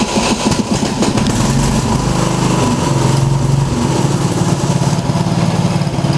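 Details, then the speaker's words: 1990 Craftsman riding mower started after being put back together, with some oil on the muffler: steady, even small-engine putter at fast idle with no misses or knocks. Normal running. "alright you guys got the tractor put back together here start it up"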